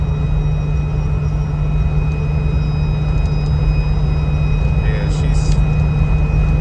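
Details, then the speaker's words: 2004 Jeep Wrangler, 40K miles, driving at road speed: steady high whistle over heavy road rumble from the overhead LED roof light bar; wind noise, fix planned with a light bar cover. "I'm sure you guys can hear that we're definitely going to do something about that um we'll probably just end up getting a cover for it that way from an inspection standpoint on where you are you'll already have the cover and that will help out with that noise"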